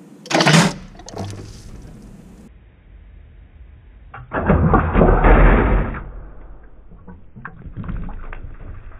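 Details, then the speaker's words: Car engine briefly cranked in neutral with spark plugs out and cylinders filled with Marvel Mystery Oil, ATF and 10W-30 to free rings for blow-by: short crank, wet spitting splash, fluid sprays from the plug holes, no firing. "okay so put it in neutral VORs gonna briefly crank it over oh I made a terrible noise"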